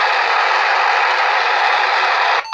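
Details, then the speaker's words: PNI PMR R6 portable radio idling on channel 1: loud steady hiss for over two seconds, then it cuts off abruptly; annoying background noise when not transmitting, cause unknown to the owner, though communication still works. "Da, e un pic cam, cam ciudată, face un zgomot cam tare când stă pe liber, să zic așa."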